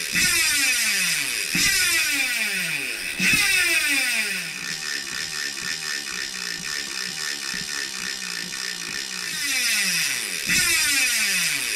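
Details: Bicycle DT Swiss-type hub fitted with cheap AliExpress 60-tooth star ratchet upgrade kit, wheel coasting: fast, even, fine-toothed buzzing that slows as the wheel coasts; normal freewheel ratchet clicking.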